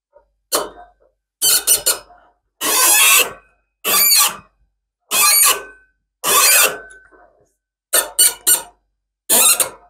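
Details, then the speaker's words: Threading bronze oil cups with a die on a lathe, with the chuck turned by hand: sharp high squeaks in short bursts about once a second, showing the die is biting in equal turns. Normal die cutting squeak. "he other way so it actually pushes those two together and then when we hear it squeaking we know we're biting kind of equal turns"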